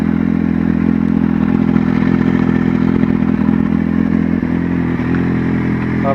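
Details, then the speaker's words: Kawasaki Z750 idling: light, fairly regular tick resembling valve tapping, actually caused by a leak at the exhaust header/manifold. "começou um barulhinho igual batendo válvula. Não é batendo válvula, é esse barulhinho do escape aí."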